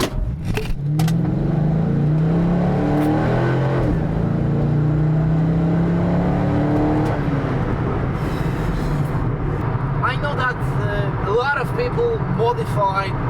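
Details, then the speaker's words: 1998 Chevrolet Corvette C5 V8 on a test drive, accelerating: a deep, even V8 rumble that rises cleanly through each pull and eases off without misses or rattles. A really good sound, a normal healthy exhaust. "so for me it's really really good sound I have to say that it's really fun to drive"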